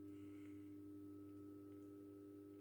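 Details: Philips Marina 10 street lamp with Philips 70 W lamp, discharge tube still warming up: steady even low hum with clean tone, no buzzing or flicker; normal ballast hum.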